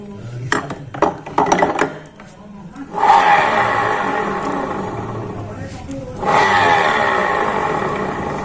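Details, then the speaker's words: Honda Vario 125 CVT with the rear wheel spun by hand gives a rough grinding noise when the driven pulley is fitted and none when it is removed; the two bearings inside the driven pulley are suspected to be worn loose and should be replaced. "pada saat kita pasang pulinya kita putar di belakang ada suara noise Mati saat kita lepas kulit tidak ada suara noise"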